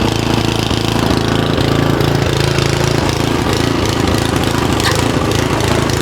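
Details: Simplicity SS922e single-stage snowblower small single-cylinder engine, just serviced, outdoors about 50° colder than the 60° garage where it ran fine: chugging idle with slight rise and fall; surging at idle, carburettor likely needs more cleaning.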